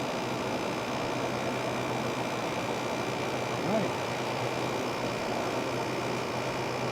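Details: Fedders air conditioner after oiling dried-up motor bearings and cleaning, cover on: steady, even hum with a faint constant tone, no rattles or squeals; running smoothly and healthy.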